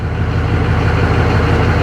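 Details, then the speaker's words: 2004 GMC 3500 Duramax diesel started after about 3 gallons of transmission fluid went into a deep pan, to check the level: a steady, deep idle with good oil pressure and no knocks, clunks or whines. Normal idle. "all right this thing usually starts up super easy beautiful oil pressure we're good to go"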